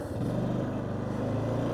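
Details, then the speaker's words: 1993 Yamaha Big Bear 350 4x4 in high range, engine held at the particular RPM where the rack vibrates; a dense fast buzzing rattle from the loose rack rides over the engine. "Oh boy, that's annoying. I think it's getting worse the worse I drive. But just to show you, it is that rack. Get it in that right RPM where it vibrates right there."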